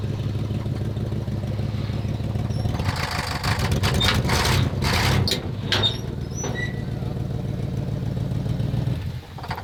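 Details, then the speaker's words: Abandoned 1967 Lincoln Continental driven with no coolant: low, uneven rumble with loud surges and irregular pulses that never settle to a smooth idle; running rough, cause not confirmed. "that doesn't sound good oh my God stop it it'll stop myself but this is this is that's why we shouldn't have taken for a drive no coolant"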